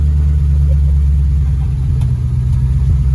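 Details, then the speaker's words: V8 car running on its old exhaust before a new custom dual exhaust install, with the engine reading lean while relearning: a loud, deep, uneven rumble with a loose, fluttering rattle from a blown-out muffler. "That old muffler rattle. Yeah, you can hear that one blown out muffler that's rattling like crazy."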